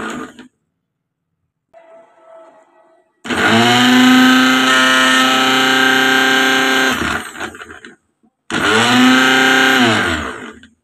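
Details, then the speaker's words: Mixer grinder (blender) after repair, run with the jar fitted and twisted to lock: motor spins up to a steady, even high whine for several seconds, stops, then starts cleanly again. Normal motor run. "দেখতে পাচ্ছেন মেশিনটা চলছে মেশিনটা সারানো complete হয়ে গেল"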